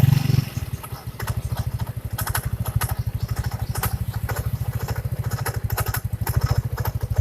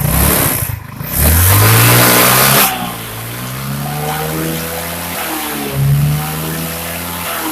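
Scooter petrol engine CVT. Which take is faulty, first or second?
first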